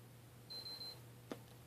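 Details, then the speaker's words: PS3 console abruptly reboots when closing the Netflix app (version 2.18) after buffering stuck at 25%: one high half-second beep, a short click over low hum, and the controller shuts off. "when Netflix closes the system doesn't actually just close it it actually reboots um you'll hear the beeping and your controller will shut off"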